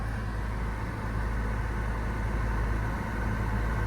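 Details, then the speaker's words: 2015 Subaru Forester at idle with A/C running, steady smooth hum, no clicking or grinding; compressor previously wouldn't engage, fixed by replacing the A/C relay, plus a clutch shim removed and Freon added; vents reaching about 38°. "But, uh, I fixed it and it's working and the temperature"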